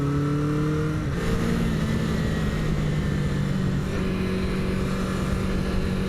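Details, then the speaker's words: 1977 Honda CB400 Four barn find after carb rebuild, valve adjustment and new exhaust, riding on back roads: smooth, even four-cylinder note pulling cleanly with no stumbles or popping; carbs before sync sound close to balanced. "man it just sounds so good I the sink has to be close because well it wouldn't it wouldn't run this good"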